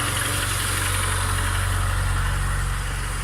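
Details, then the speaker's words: VAZ 2114 engine, 235,000 km, first cold start at 0 °C after replacing camshaft stud and lapping camshaft bearing beds to cure knocking and wandering idle: steady even idle, low regular pulse, no top-end tapping; knock gone. "двигателя закончена температура 0 я только запустил забыл включить камеру ничего не стучит как раньше"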